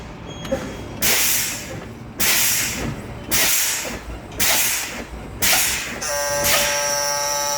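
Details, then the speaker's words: Truck in-cab air brake low-pressure warning test, brake pedal fanned: repeated sharp air hisses, then a steady high buzzer and light come on at 62 PSI, within the 75–55 PSI range; normal result. "The light and alarm came on at 62 PSI, making this a normal test. Why? Because it's in between the range of 75 and 55, but that's not a continuous bust."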